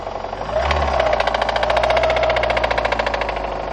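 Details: VAZ 2114 engine with seized connecting rod bearings on cylinders 2, 3 and 4, plus burnt valves. Rod knock: sharp metallic knocks about three or four a second, hammering as the engine revs.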